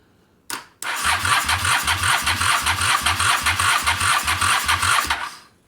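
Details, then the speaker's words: Engine primed with carb cleaner: starter churns evenly, about two and a half strokes a second, but it never catches; cranks without starting, carb suspected gummed up. "Nothing. Aha. So close."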